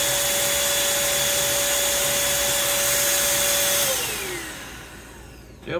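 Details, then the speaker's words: Bissell 3-in-1 turbo vacuum, brush roll motor (RS-380SH-19156RBPY) tested out of the foot assembly: steady high whine suddenly drops in pitch and winds down within a second; brush roll motor failure, possibly worn windings or factory-misground brushes. "so it looks like we definitely got a problem with the motor"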